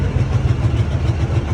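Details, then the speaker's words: Cadillac idling loud and throaty with a deep, uneven pulsing rumble after new radiator hoses; exhaust manifold leak suspected, manifold previously welded for a crack. "And it sounds a little loud because it had some exhaust manifold leak. I think that's what it was that they told me."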